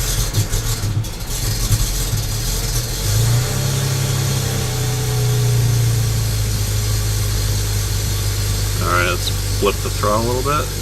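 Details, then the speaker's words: BMW N54 engine with a loud, low idle that wavers and stumbles before settling somewhat, with misfires. Symptoms are long starts, soot from the exhaust and smoke from both ends. A fuel delivery problem is suspected but unconfirmed. "So that's a symptom. Long starts, rough idle, soot coming out of the exhaust, smokes from both ends, possible fuel delivery problem."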